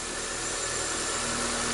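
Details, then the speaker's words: Corsa flex that would not start in the morning, after fitting gapped plugs and cleaning the throttle body, throttle relearn still pending: steady, even idle with smooth hum, no knocks, misses or surging; normal idle. "o carro ainda não está perfeito temos que fazer o aprendizado ainda borboleta fazer uma série de ajustes mas agora o carro já funciona e funciona bem né"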